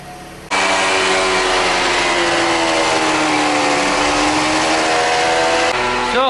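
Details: Toyota Esquire (Noah ZRR80) minivan on a lift with the wheels turning, customer complaint of hum from the CVT: steady droning hum rising and falling slightly with wheel speed; diagnosed as a worn CVT reduction gear, transmission to be replaced with a contract unit.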